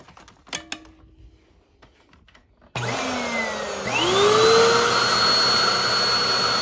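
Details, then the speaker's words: Hoover WindTunnel vacuum (uses type D belt, T series): quiet handling, then the motor starts with a rising whine settling to a steady roar while the brushroll doesn't spin; belt suspected broken. "the brush is not moving so that tells you something along the belt"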